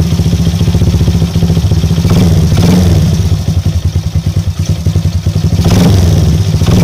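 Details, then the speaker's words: Small motorcycle after a top-end service, which had left it hard to start and stuttering; fixed by replacing the spark plug. Now idles with a steady, even thump and picks up cleanly on two throttle blips. Normal running. "Oke geng Alhamdulillah masalah setle cuma masalah plak yang membuatkan motor ini susah hidup bila dia hidup pun dia semput"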